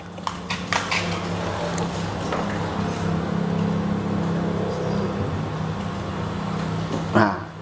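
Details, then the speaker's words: Single-phase motor with run capacitor and yellow start capacitor wired in, switched on for test; a few clicks then steady low hum, even, no rattle or drag; motor starting and running normally. "lo colleghiamo e lo accendiamo , amici, proviamolo. Lasciamo che si accenda. Adesso è acceso."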